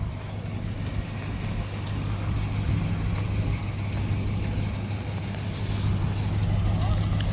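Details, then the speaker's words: 1964 Dodge field find "Earlene", running after brake and tire work: a steady, fast drone with a constant low hum; the idle is pretty high (RPM unknown), and the owner plans to turn the idle down. "Yeah, she's pretty high idle. Yeah, you can hear the idle back here, so I guess I will idle Earlene down, and it might make the driving experience a little more pleasant for Anna."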